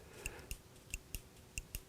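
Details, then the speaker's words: 2005–2011 Mercedes R171 SLK convertible roof hydraulics, trunk partition microswitch (P/N 171 826 31 00) triggered by plastic on cylinder: crisp press-and-release clicks in pairs, switch working properly. "and here you can hear it clicking normally this kind of switch if it clicks it works there are exceptions but in general with micro switches if they click they work"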